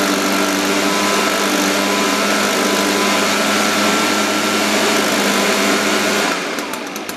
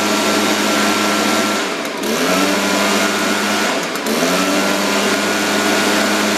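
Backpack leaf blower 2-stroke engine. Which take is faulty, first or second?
first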